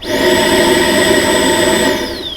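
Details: 2009 Ford Fusion with codes P0410 and P0491: the secondary air pump is run by energizing its relay with a test light. The pump whines up at once to a steady high pitch, holds evenly and winds down smoothly when switched off, so it runs normally.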